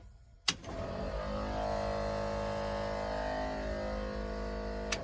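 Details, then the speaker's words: Truck-mounted air compressor for Hadley air horns on an OBS Chevy truck: kicks on with steady droning hum and thin buzz, holds four seconds, cuts off cleanly; takes minutes to pressure up and gets hot; normal running. "It takes a few minutes for it to pressure up. Don't want to run it too long because it does get hot."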